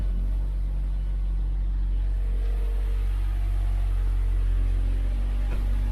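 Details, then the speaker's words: Mazda 6 SkyActiv with newly installed VT-Racing twin-screw supercharger kit and fresh tune, first start: smooth even idle with deep low rumble, almost stock-sounding, no misses or rattles. "At idle, it almost sounds stock. Just a little extra rumbly sound."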